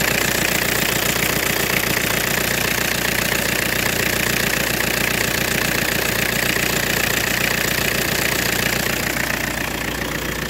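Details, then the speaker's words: 2000 Ford Mondeo 1.8 TD diesel at idle: harsh high squealing hiss when turning the steering wheel, fading after about eleven seconds, from a slipping power steering pump belt; fix is replacing the belt. "la courroie de la pompe de direction fait du bruit"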